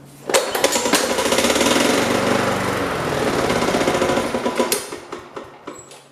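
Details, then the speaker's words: Yard-sale Weed Eater (MTD) push mower, full tank of fresh-smelling fuel: runs rough and uneven, then sputters, surges and dies, starving for fuel; owner wondered about rod knock but clears once running. "but yeah as you guys can see it's starving for gas"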